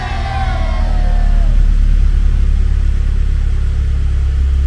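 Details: Car starting after its run-down battery was recharged and held a stable 12.73 V before reinstalling: quick crank, engine catches at once and settles into strong, steady low rumble; normal start.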